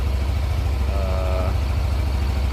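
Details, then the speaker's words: 2016 Yamaha NMAX scooter, only 2,400 km, after service with parts replaced due to age: low, even putter at idle, no knocks or rattles; sounds smooth again, normal idle. "Suaranya halus kembali. Bagus."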